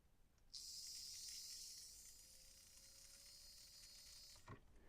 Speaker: And indeed, it does. So, clearly I've done everything right when getting that back together.